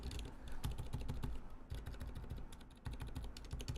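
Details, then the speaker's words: Keyboard fitted with Zilent switches, dry and not yet lubricated: uneven bursts of dull keystrokes with a rough, gritty bottom-out on each press; the switches sound terribly scratchy before lubing the switch walls. "Yes, so as you hear, it is terribly scratchy, as you can hear."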